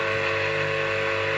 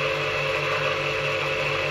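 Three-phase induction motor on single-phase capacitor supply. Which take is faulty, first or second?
first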